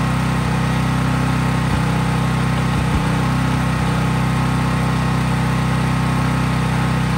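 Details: Craftsman 5000-watt portable generator after a cold start outdoors, at constant full speed powering only an LED bulb, so no load: a steady, even drone with no hunting or misses. Smooth, healthy no-load running.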